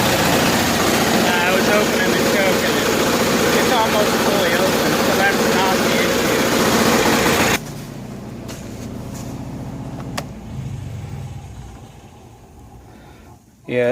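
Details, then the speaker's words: 7000 watt Kohler generator in a bus, started cold: engine drones with an uneven, lumpy beat before cutting back; running rough, owner suspects the choke, though opening it fully did not improve it. "let's go inside and start it up it's running rough but it is cold"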